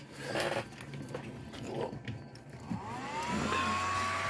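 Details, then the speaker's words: IFR 2026 multisource generator (sold as not powering up) on the bench with correct 24 V, 12 V and 5.1 V module voltages: cooling fan whirs up to a steady, fairly loud hum, running smoothly without rattles; normal but noisy fan. "it's just that boy that fan moves along better there it's quite noisy hopefully it's not that noisy when I put it in the case"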